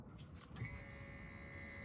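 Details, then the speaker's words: 2006 Cummins diesel pickup with a no-start and low fuel pressure, key-on: steady, thin electric whine holding even as the fuel lift pump energizes and runs; lift pump pressure not yet measured. "We got lift pump action or at least sound."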